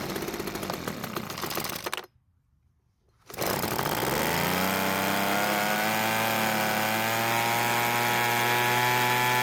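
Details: Small two-stroke engine of a weedeater leaf blower that wouldn't start, after repair. After a short pause it catches, revs up and settles into a steady, even buzz without stumbling. Normal running.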